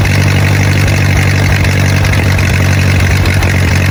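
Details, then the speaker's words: 1928 Ford Model A four-cylinder revived after 75–80 years sitting in a ditch: deep, steady, even idle with no stumbles or knocks; carburetor had flooded briefly, clutch and transmission grinding still unresolved, otherwise runs really good. "The carburetor started to flood out there. But all in all, she runs really, really good."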